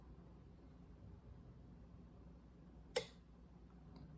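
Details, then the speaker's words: Nomadic Technologies robot being restored, 12 V battery at about 13 V, pin seven of slip-ring connector jumped to positive: one crisp relay click in a quiet room, lights on all three motor drivers; relay energizing normally. "we get relays clicking and lights coming on on all three motor drivers so that's good"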